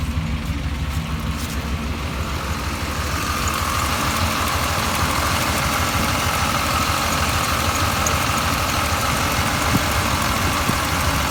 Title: 1989 Chevy Silverado, My truck is making a strange noise, what could it be?